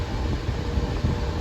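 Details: Older Patton fan that had stopped working, revived and running before its faulty switch is replaced: a steady low whooshing hum with even airflow and no rattle or scrape. Normal, healthy running.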